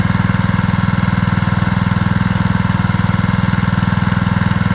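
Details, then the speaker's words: New Simpson ALH3228-S pressure washer at first startup after many pulls, started with very little choke; small single-cylinder engine puttering at a steady, even beat with no misses or knocks; normal idle. "I will say this sounds like it runs like a kitten"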